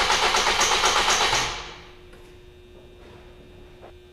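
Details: 2005 Ford Focus 2.0 cranks at an even, rapid rate for over a second and never fires; crank signal good, the relay feed powering injectors and coils is open; crank no start.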